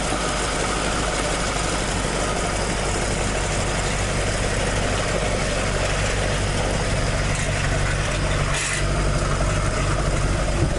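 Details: Toyota AE86 with 4AG engine after exhaust leak repair, stock exhaust sound: steady even low idle burble, no puffing or ticking; exhaust sealed, engine idles cleanly.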